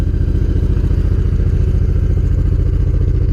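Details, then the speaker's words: Honda VTX 1800 fuel-injected V-twin, cold, after a spark plug change: fast, even lope at about 210 pulses a minute, steady and clean with no misses; normal high cold idle, RPM expected to drop as it warms. "So the RPM is high, but at some point that the engine gets warm up, the RPM would drop. It should be like that."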